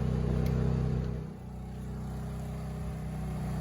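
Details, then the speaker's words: Honda EU2000i inverter generator, rebuilt after carb gaskets were refitted in the correct spots, carrying a 1500 W heater for about 10 minutes: a steady, even hum with no surging or stumbling, and the LED is not fading. It runs normally. "generator even seems to be running way nicer for sure not choking itself out it's even going about 10 minutes now"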